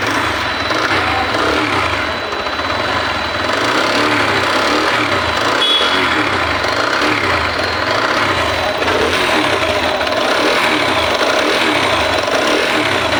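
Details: TVS Apache single-cylinder motorcycle: rhythmic top-end mechanical clatter keeping pace with the engine, sounding like cylinder noise but caused by the camshaft; camshaft noise.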